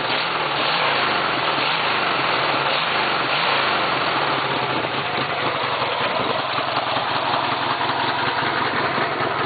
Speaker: I don't know if you can hear it but there's uh no weird knocks the engine doesn't sound weird